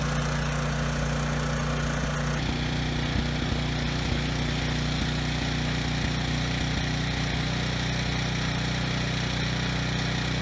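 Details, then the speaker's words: Briggs and Stratton generator, no load, outdoors in wind, supposedly working: low, lazy idle that starts stumbling with irregular hiccups; stutters and engine speed is low. Owner plans a carb cleaning and bending the throttle-spring tab to raise speed. "okay so it does run pretty well it does stutter a bit the RPMs are also a little bit low"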